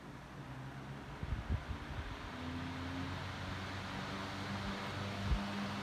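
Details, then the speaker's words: 1954 Westinghouse 16-inch 3-speed oscillating table fan, mint condition, started on high: quiet motor hum swelling as it spins up, soft steady rush of air, no rubbing or ticking; very powerful, quiet, normal running. "very large amount of air coming out of this band it is extremely powerful this is almost an industrial fan as far as the power goes"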